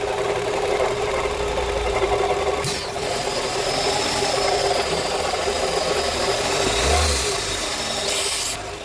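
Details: Renault Fluence that previously cranked but wouldn't start: the engine now runs on its own with a fairly steady beat under some handling clatter, so it starts and keeps going.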